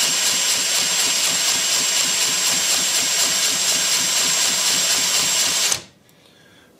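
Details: Lynx 15 small model engine, first crank after final assembly, compression seemed low, no head gasket or sealer, spark plug loose: steady high starter whir spinning the engine about six seconds with no firing, then stops.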